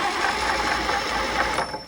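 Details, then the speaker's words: Rotec R2800 110 hp radial on an Aerolab LoCamp, never started before, first start: cranked with mags off after a hydraulic-lock check. An even, fast ratcheting whir with no catches shows it spins freely. Normal cranking. "now what I'm going to have you do mags Off fuel off or fuel's not important spin it for about 3 seconds okay as long as it spins fely then we can go hot"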